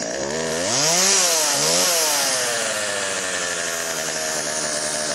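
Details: Chainsaw after Texas ice storm: high two-stroke buzz revs up and settles to steady even run without stumbling; could be fine-tuned but ready to go, bar oil pumping.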